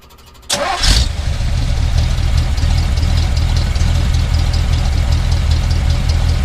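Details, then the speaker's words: 1978 Chevy truck, 350, after fuel pump replacement for fuel leaking and vapor locking. Catches quickly, then a smooth, even idle; the new pump sounds a little different from the old one. Normal start and idle. "no seems like it's running good you can hear that pump it's got a little different sound than the old one"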